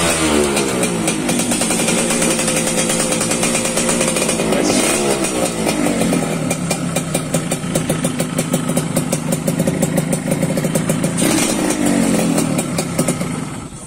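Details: Yamaha RX King two-stroke after fixing a slipping kickstarter that would not engage: kicked over, it catches right away and revs up and down cleanly with a crisp, even crackle; engine runs healthy.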